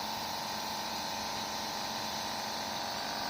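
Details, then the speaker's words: Sunshine S-959N OCA machine after repair converting a broken double-compressor setup (one dead, one weak) to a single compressor, door closed, building pressure: steady even hum with constant hiss, no knocks or rattles; normal compressor running. "এটা এখন আগে ছিল যে দুইটা compressor, এখন একটা compressor দিয়ে কাজ চলতেছে।"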